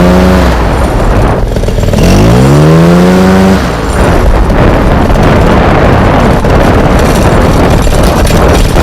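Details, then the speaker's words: Fresh Breeze Monster paramotor, two-stroke, back from repairs, choke off, rolling up and down the drive: buzz climbs cleanly in pitch, then holds steady throttle under wind and rolling noise; good thrust, runs healthy. "Okay, so she sounded pretty decent, right? Going up and down the drive, I couldn't really hold the throttle on."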